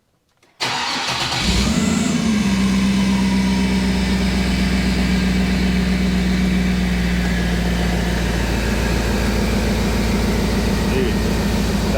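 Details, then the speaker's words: Jeep TJ with 6-litre engine, freshly fitted ACES Jackpot EFI (autotune, replacing MicroSquirt, 58 psi fuel pressure), first start: cranks briefly, fires on the first try, flares then settles to a smooth steady idle with no misses; healthy start. "is super cool started up first [Music] try"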